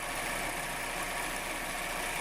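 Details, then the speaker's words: 2012 Chevrolet Captiva 2.4 16v petrol at idle: quiet, even idle with a smooth hiss and no chain rattle or slap from the engine front; timing chain noise gone, nothing worrying, to be monitored. "faz um barulho de corrente nem comparação tá nem comparação certo nada que preocupe"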